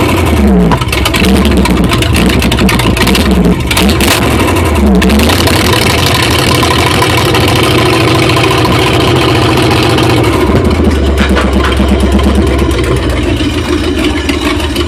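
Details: 1977 Ford F150 with 351M V8: heavy rumble with an uneven, loping beat at idle and a couple of throttle blips; rough idle.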